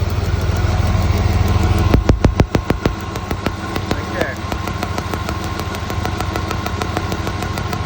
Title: Spark plug wire shorting causing misfire on Hyster vortec v6